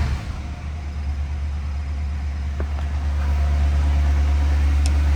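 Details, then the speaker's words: 1963 Ford Galaxie 500XL, believed original engine, recently tuned up, heard at the single-exhaust tailpipe: deep, even low rumble with a regular pulse that never stumbles; healthy steady idle. "I think you'll be surprised at how good it sounds for a single exhaust unit. Nice little rumble there."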